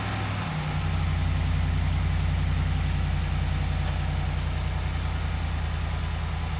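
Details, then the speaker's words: Ram Rebel Hemi V8 just fitted with Corsa closed-box PowerCore dry-filter air intake replacing factory intake: engine catches quickly, settles into deep, even, steady idle with no misses or knocks; normal start and idle. "but i certainly think this is going to increase the sound a little bit at least change the tone a little bit so let's go ahead and double check everything and then we'll fire it up"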